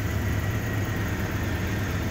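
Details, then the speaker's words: 2001 Dodge Ram 1500 5.9 V8 with intermittent crank-no-start: after tapping the year-old aftermarket PCM restored 5 V references, it starts right up into a low, steady, even idle rumble; PCM suspected. "let's see if it will start mileage came back on the odometer starts right up"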